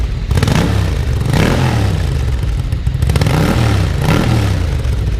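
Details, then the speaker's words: 1987 Ducati F1 750 TriColor, cold-blooded carbureted engine warming up shortly after a cold start; deep, lumpy twin rumble rises through three short throttle blips and drops back cleanly, running really good with a nice sound, normal running with light revving. "So you can hear it. It does run really good. It's got a really nice sound to it overall. Rev it up just a little bit."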